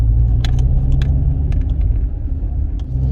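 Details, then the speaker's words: Old Rover 45 on full steering lock. Steady engine rumble with a few sharp, irregular crunchy clicks from the driver's side drive shaft; slight CV joint crunch. "Full lock gives you a slight crunch on one of the drive shafts. I say one of them, it is the driver's side drive shaft, showing a bit of clonkety ronkety."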